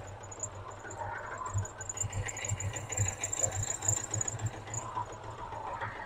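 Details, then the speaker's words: Vauxhall 14/40 vintage car after an oil change, out of gear, tends to run lean at idle: low, even, steady idle pulse with no knocks or misses; oil pressure good, normal idle. "Probably need some choke. It tends to run quite lean at idle."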